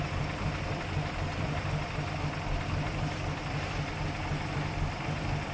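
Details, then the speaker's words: 1933 Hudson Terraplane idling: very slow, even idle with soft steady whir from fan belt and fan, no ticks or rattles; normal idle. "beautiful it's just there's not a a tick a rattle or anything I think you can just hear the fan belt going around or the wind from the fan that's what's making all the noise unreal"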